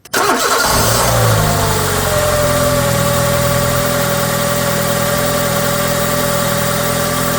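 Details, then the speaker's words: Peugeot/Citroën TU engine first start after DIY timing belt and water pump replacement and coolant bleeding: starts at once with a brief flare, then smooth even idle, faint steady hum, no knocks or rattles. "Et là, c'est le moment le plus satisfaisant. C'est le moment où on démarre la bête."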